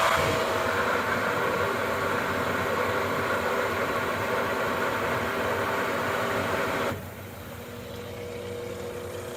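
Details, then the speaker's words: Spa jacuzzi after fixing a pump airlock by loosening the fitting with jets on until water flows: steady rushing, bubbling hiss through the jets, quieter near the end; normal jet operation. "And just keep loosening it until you hear the jets start to come on. You can hear them bubbling."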